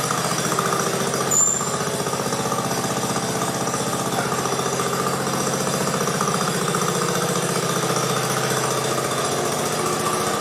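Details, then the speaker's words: 1969 Sunset Orange Patio tractor, first start with new rear end fluid: steady even single-cylinder putter at idle, no knocks or misses; smooth running. "let's try starting it up for the first time with that new fluid let's see if it sounds any better hopefully it does well it didn't sound too bad before but maybe we'll get a difference"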